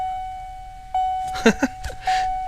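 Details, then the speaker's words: 1979 early Fox-body Ford, obnoxious buzzer swapped for a chime; low chime volume fixed by putting paper inside the chime case: clean, steady mid-pitch ding twice, about a second apart, now loud; normal warning chime. "so just by putting some piece of paper in there man you know what that works so i think i'll just keep it like that"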